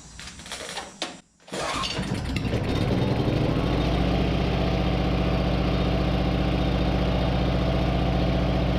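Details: 30-year-old Coleman PowerMate generator with Subaru engine, not started for a year, clean fuel, choke full on, small air filter on: cranks briefly, catches in about a second and a half, settles to steady even idle with no misses.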